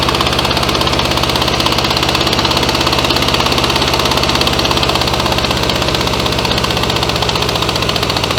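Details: 1966 VW Beetle, first start after 10+ years in junkyard: uneven lumpy idle, loping beat about three per second, one cylinder dead with cold exhaust pipe, running on three, low power; bad spark plug suspected.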